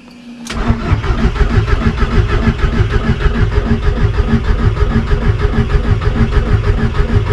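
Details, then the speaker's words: VW Golf 1.8 turbo, first start after a build: the engine cranks with a steady chugging pulse and the pump is heard, but it never catches. The owner believes the two fuel hoses were swapped. "Tu vois ce qu'elle fait là? T'entends la pompe? Ah ouais? Putain, je vais jamais réussir à la démarrer cette bagnole."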